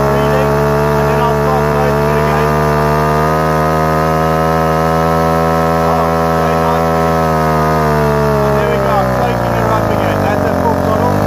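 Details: Ryobi string trimmer two-stroke after repair, air/fuel mixture screw adjusted about a quarter turn, idle left as is: even, buzzy note holding steady revs, easing down near the end without misfires or bogging; runs cleanly.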